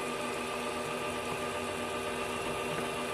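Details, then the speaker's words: Voltage drop test board with a fuel-pump-style motor and an excessive ground voltage drop: steady low motor hum running noticeably slower and weaker while lights are dim; slow-running motor from poor ground. "you can hear the motor running slower you can see all of the lights are Dim"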